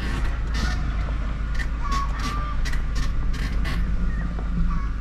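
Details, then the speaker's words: Stationary car gives short high squeaky chirps from the suspension over a steady low hum as it rises; the squeak is loud outside but not heard inside with the windows closed and the AC on. "Вот, заскрипел прям. Поднялся. Все. О, как скрипит."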